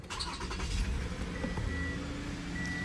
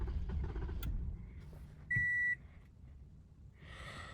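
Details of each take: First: 2015 Toyota Camry no-start after the faulty new aftermarket ignition coil was addressed. A short crank catches quickly and settles into a steady, even idle with no misfire, so it starts and runs normally. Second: 2015 Toyota Camry with push-button start; the owner had replaced the fuel pump and ignition coils. It catches, runs about a second, then dies abruptly and a chime follows, a start-then-stall.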